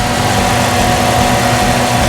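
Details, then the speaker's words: 1998 Jeep Cherokee XJ 4.0 after replacing the throttle position sensor to cure an idle surging up and down: steady, even idle with no hunting or stumble, faint music behind; normal idle, fixed. "So far it sounds better. All right guys, there you have it. It's idling nice and smooth now."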